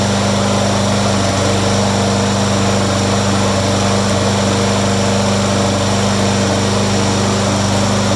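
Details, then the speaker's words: Yard-sale push mower that had been struck: steady even drone at constant pitch with no shaking, so crankshaft not bent; running smoothly. "Also, if you're not sure if the crank is bent, if you fire it back up, it will vibrate so bad you can't hold on to it. This one's pretty smooth, so no worries about"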